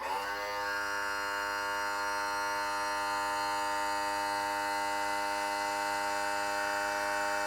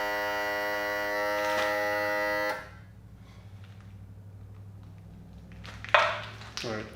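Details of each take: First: 1991 Johnson 50 hp outboard, hydraulic power trim/tilt tested while low on fluid before refilling; steady, even electric buzz from the trim motor running without stalls or strain; trim works. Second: 1991 Johnson 50hp outboard, power trim/tilt tested after repair but before refilling fluid that was dumped out: the trim motor buzzes steadily and strained for a couple of seconds, then stops. Pump low on fluid; works after refilling and bleeding the air.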